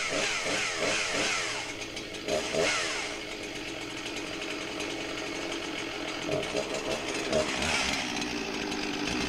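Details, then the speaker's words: 21-year-old Husqvarna 261 chainsaw that hadn't run in a long time, hard to start: runs rough, sagging and stumbling at low revs during carb tuning. Lean low-speed mixture; the bottom-end screw is being richened and idle speed raised. "listen to that blog on the bottom end i'm trying to get the screwdriver in there and riching up the bottom end and here i'm bringing up the idle speed"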